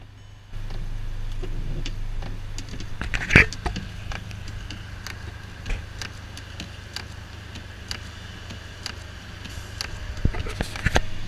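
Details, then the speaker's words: 2011 Audi A3, used-car inspection: light, sharp taps at the end of each windshield wiper sweep over a low hum as the blade strikes the frame, indicating a wiper malfunction. "wipers should not be hitting the frame so there's definitely something odd with the wipers"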